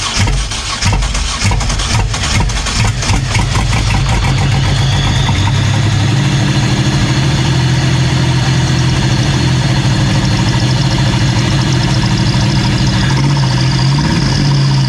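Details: Ferrari F355 replica on a 1988 Pontiac Fiero chassis, first start of a replacement 3800 supercharged engine with fewer miles. It cranks and catches with a few rough pulses, then settles into a steady, even low idle with oil pressure. Owner suspects a crossed spark plug wire.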